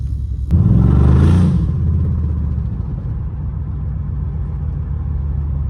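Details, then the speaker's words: 2015 Dodge Charger Pursuit 5.7 V8, wrecked rebuild, while driving: deep rumble with a steady hard low knock pulsing three to four times a second; engine knock, owner suspects a stuck lifter. "Can y'all hear it knocking? Y'all probably can't, but this bitch knocking so hard right now."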